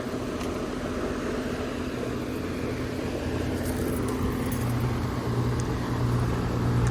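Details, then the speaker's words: Outdoor AC compressor just switched on runs with steady low hum and constant drone, no knocking or rattling; sounds normal, though house is ice cold and a loose part, probably a wire nut, fell out; gauges to be checked. "Let's see what we got going on here. It looks like we've got a good one. And it sounds like the compressor is running."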